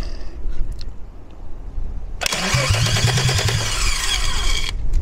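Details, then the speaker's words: Peugeot 206 with a swapped VR6 24-valve engine from a Sharan, first start attempt on a temporary fuel circuit from a can. Brisk, even cranking at about two and a half turns a second with no firing; the engine turns over freely but never catches. "donc là le moteur pour l'instant il tourne dans le vide"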